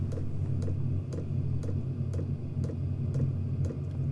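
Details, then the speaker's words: Chinese diesel heater in a workshop, microphone on shirt beside the unit, running at low power level 2 after the initial fire-up cycle: slow, regular dosing pump tick about twice a second over a low steady fan drone. Burning little fuel, normal operation. "running quite slowly, so not burning an awful lot."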